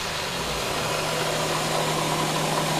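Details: Nissan Quest after front engine mount replacement: a steady, even engine note holds smooth through the rev with no thumps or clunks. Before the repair the valve cover lifted when revved; now the engine sits firmly on its mounts, normal.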